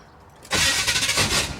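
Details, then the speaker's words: 1977 Chevy Monte Carlo, off the road for years, first start attempt with the distributor set near top dead center on number one: a brief crank and rough coughing sputter that never catches cleanly. The starter needs shimming. Owner suspects the timing and plans to advance it. "uh it sounds like it's a little bit maybe I'm going to advance it just a hair and see if that helps"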